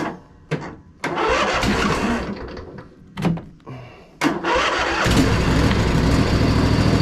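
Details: Crusty Poulan Pro zero-turn: a few short cranking bursts (the starter sounds rusty), then it catches and settles into a steady, even run with a very quiet muffler. Normal idle.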